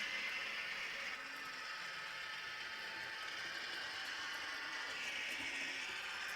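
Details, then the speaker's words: Broadway Limited Imports N-scale SW7 locomotive at about 39% throttle after adding more grease; thin, gritty high-pitched whir surging and sagging as it jerks back and forth; gear grinding, not a smooth runner. "And that's at about 39% throttle. And I think it's evident in the video that we're kind of jerking back and forth. Like it's definitely not a smooth runner."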